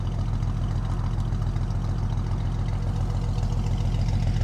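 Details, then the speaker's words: 1967 Ford Mustang convertible six-cylinder with dual exhaust, just started after a pedal pump or two: deep, steady idle with even low pulse and no knocks or misses; owner suspects a slight exhaust leak. Normal idle. "Fires right up. I'll go ahead and walk you around so you can hear that dual exhaust. That dual exhaust does sound really good."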